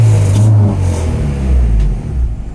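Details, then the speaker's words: Honda with H2B K-series manifold swap, untuned (only injector size set, IACV error off), idles at stoich but AFR swings 16–12 when driving: deep uneven revving that surges and stumbles instead of pulling cleanly; cause unknown, awaiting a base map. "sounded terrible obviously something's going on to I have no idea"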